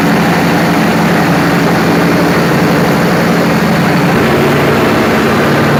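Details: Perkins 4012 diesel after a general overhaul, pre-lubricated by an added pump before starting, ahead of load testing; a steady, even low drone with no knocks, misses or surging over six seconds; running smoothly.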